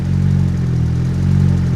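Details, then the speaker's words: Tuneless turbocharged Honda Civic running lean (AFR about 11) after a pull, fuel pressure a little low at about 30, wanting to die unless revved; uneven pulsating idle surging about once a second; injectors suspected, not confirmed. "So, let's take a look at fuel pressure and whatnot while it's while it's lean. And you can you can probably hear that it's like pulsating."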